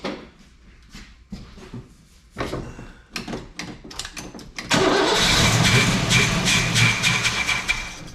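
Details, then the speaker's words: Old Oldsmobile on its own tank with little fuel, battery just hooked up, fuel pump possibly bad: a few short starter stabs, then a long fast even cranking churn that never fires; cranks but won't start. "Come on, baby. Hopefully that fuel pump's good. That sounds better turning over now."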